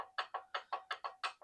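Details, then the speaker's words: Cheap used miter saw, accuracy check: sharp light wooden clicks about five a second as a workpiece rocks on the turntable; uneven saw table suspected, owner may build a fence bridging the turntable. "and that's kind of a problem because if I put something on here, it wiggles."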